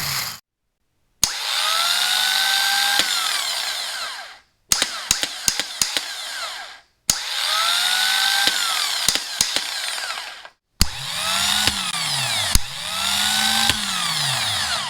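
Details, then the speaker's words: Porsche 944 starters bench tested on jumper cables, the original versus a new IMI Performance high-torque unit (original noisier and sluggish, new quick and smooth): short, clean whirring spins with no grinding; normal cranking. "I did just bench test both of these, and the original starter is quite a bit noisier, and the action is a little bit sluggish and not very precise, whereas the new one is very quick and smooth."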